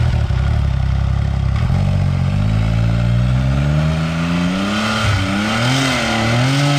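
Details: Beast Mode X3 at about a "6.0 setup", with tiny plug gaps and iridium plugs being tried; revs rise, then the pitch wobbles and stumbles under load as the spark breaks down under boost, possibly from high cylinder pressure: ignition misfire.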